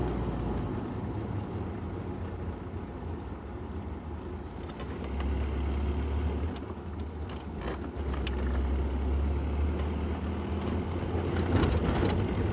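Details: Ford Ranger 3.0 Power Stroke, 175,000 km, driving with microphone moved near the gear lever after transfer case repair: steady low road rumble and drivetrain hum, no whine or clunk — gearbox-like noise gone, normal transfer case.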